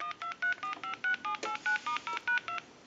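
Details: Bell South clear Trimline telephone on a line analyzer during checkout and repair, redial pressed after flash: about thirteen clean, evenly spaced dual-tone beeps in under three seconds. Normal DTMF dialing.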